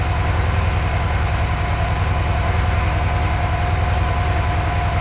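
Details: Porsche 928 during mixture, idle and timing adjustment, runs thirsty, tachometer not working: low lumpy idle with uneven beat near two and a half pulses a second; misfire, worse when accelerating.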